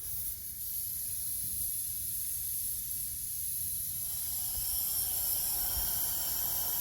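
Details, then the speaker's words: Selector valve being cleaned during a pre-pump installation, backfed with 10 psi regulated shop air with the rear tank selected: steady airy hiss with no sputter, air passing freely out the rear feed port. "right now I hear that it's going through. Which tank is selected up there? Rear. So right now you're going to have air coming out of this rear feed port."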